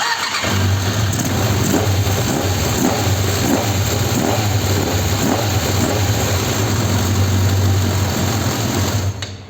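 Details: Suzuki GSX600F with air filter box removed, runs rough especially at start: loud four-cylinder idle with a pulsing, hunting beat around four times a second; dirty carburetors making revs wander, to be ultrasonically cleaned and adjusted.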